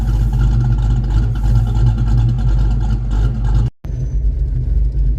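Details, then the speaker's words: 1982 Foxbody Mustang just fitted with 17x9 wheels, before a test drive: a deep, uneven loping idle with choppy pulses and a brief rev. This is normal big-camshaft chop, not a fault. "gratuitous cam shaft chop clip"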